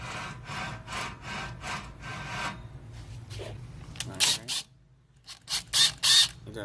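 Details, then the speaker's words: Rear wheel hub of a Nissan Altima during hub replacement: a rough, gritty scraping pulsing about three times a second from the worn rear wheel bearing. "alright you can hear the bearings messed up"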